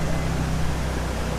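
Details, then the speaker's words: 2000 BMW E46 with M52TU engine idling smoothly and steadily with no misses or ticks after replacing the intake cam sensor for code P0340 and random stalling; stored and pending codes cleared on rescan, cam sensor confirmed as the fault. "Okay, so the good news is the cam sensor was the issue, and I think other than that, this thing is pretty good."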